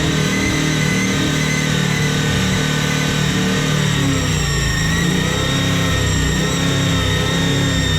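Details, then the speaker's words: Toyota 1UZ-FE V8 in a hotrod, running with newly working injectors; even idle and blips with a thin steady hiss above the engine note, a big air leak later found around the intake manifold front gasket, an intake manifold vacuum leak. "I can hear the air leak in there."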